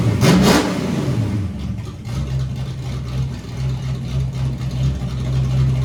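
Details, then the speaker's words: Ford Foxbody, warm just after shutdown, started then revved: quick sharp rev settling to steady, even low rumble with no knocks or misses; normal start and rev, healthy engine. "okay so car sounds killer can't deny that rev's good it's a good build good build"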